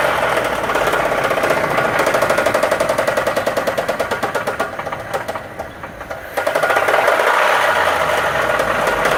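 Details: 2007 Dodge Dakota 3.7 V6 running: loud, hard metallic knocking about four a second, a badly failed rod bearing; the engine slung a rod.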